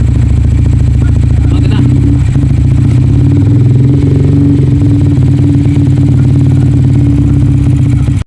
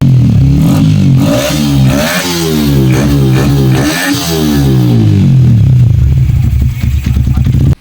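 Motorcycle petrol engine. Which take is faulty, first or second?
first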